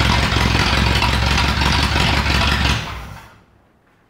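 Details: 1937 Ford flathead V8 that sat a year, 6-volt system running only on the battery (maybe 5 volts): uneven, lumpy idle with irregular gaps between firing pulses, then dies away, missing on some cylinders; cause unconfirmed.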